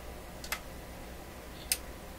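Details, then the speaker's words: McIntosh MR71 FM receiver during 19kHz pilot alignment: two sharp, isolated clicks about a second apart, like a switch inside, at the end of the control's travel. The stereo light won't go off; fault not found. "This almost sounds like there's a switch in there, doesn't it?"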